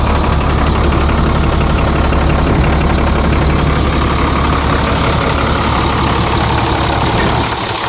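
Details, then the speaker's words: About 2004 International 4400 with a DT466 diesel, restarted after sitting a couple of days and idling with a scanner attached. The idle drops and sags with an uneven pulse and a noise; the water pump was found bad and may explain the low coolant. "Well, that isn't good. It's the idle's dropping down. And we got a noise."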